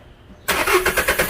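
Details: 2015 VW Fox with a morning cold-start noise, started cold after piston and cylinder repair: starter whirs, it fires straight away and runs clean and even with no knocking.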